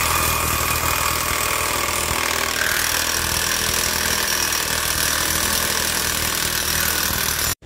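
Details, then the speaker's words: Scooter with the crankcase cover removed, transmission turned while running and in reverse: loud, coarse, uneven rattling grind. Worn secondary pulley bearing. "Nah, di sini masih ngaguruh teman-teman. Suaranya masih kasar sekali, dan kita coba nyalakan dengan kondisi motor dinyalakan. Nah, kita putar ke arah berlawanan, suaranya kasar."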